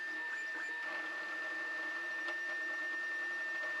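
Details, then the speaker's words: Anycubic i3 Mega S 3D printer, stock stepper drivers, at print start: steady high whine with rough mechanical buzz throughout printing; loud stepper motor noise before driver upgrade. "so even with just the fans running the printer is still fairly loud but take a look at when the print actually starts we definitely have some work to do here"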